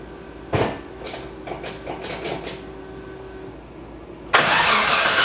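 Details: Nissan S13 after water pump and timing belt replacement, belt retensioned, running briefly without radiator: several cranking bursts then engine runs evenly with no whine; earlier whine was from an overtight timing belt.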